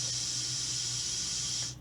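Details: Air rifle booster pump filling a Texan, with the fill near 3,000–3,100 psi: a steady, high, airy hiss over a low even hum as the piston returns and bleeds, then a sudden cutoff, cycling normally.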